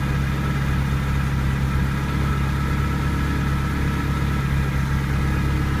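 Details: Ferrari 308 QV V8 after replacing crumbled camshaft pulleys with aluminium ones and setting cam timing: smooth, even idle with a brief rev blip, earlier ticking gone; owner thinks the belt was set wrong at a service.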